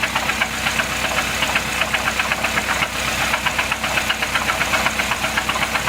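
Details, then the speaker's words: 2008 Chevy Cobalt after running out of oil (refilled, oil shows no coolant or fuel), heard from on top of the vehicle: heavy regular knocking two to three per second, comes and goes, louder with throttle; knock from oil starvation. "this is on top of the vehicle the noise actually comes and goes sometimes let me give it a little throttle and have it act up some more there we go you can hear it really good now"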